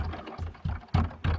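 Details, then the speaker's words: Fiat Doblo idling with short hollow clunks about three times a second, a rattle from the rear door, heard when the door is slammed shut; suspected in the latch linkage rod to the pillar. "а тепер увага ми її захлопуємо сподіваюсь ви теж чуєте цю це браскальце А так ми нічого не чуємо"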